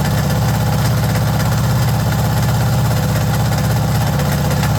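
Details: Suzuki DR650 Dakar SP41B big single at idle: even, rapid low thumping with a rough mechanical clatter on top; abnormal engine noise, source unknown.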